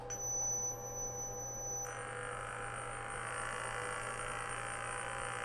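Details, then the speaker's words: DIY CNC router, controller unplugged, tone-tracing wand picking up the air: when the spindle switches on and speeds up, a thin high tone jumps higher and gains a hissy buzz; spindle electromagnetic interference that makes the X and Z stepper axes jerk. "just the electromagnetic interference as the spindle is speeding up here the frequency very slowly wow there we go"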